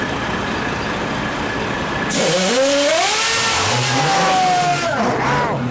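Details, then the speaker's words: Detroit Diesel 6-71N two-stroke, non-turbo inline six, old auction machine, start and rev for comparison with a four-stroke Series 60: cranks and catches after a couple of seconds, pitch climbs cleanly with even bark, no knocks or misses; still operative, healthy. "You're going to hear the difference between the four-stroke 60 series Detroit and the two-cycle D1671."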